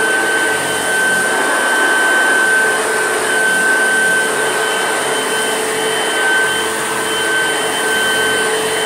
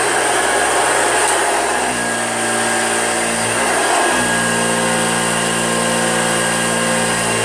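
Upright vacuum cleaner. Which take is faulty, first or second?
second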